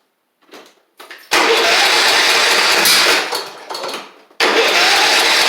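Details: Troy-Bilt Horse XP riding mower with a replacement engine, restarted after freeing the bound-up, sticking choke. A few cranking tries, then it catches and settles into a steady, even run with no misses; it starts and runs normally.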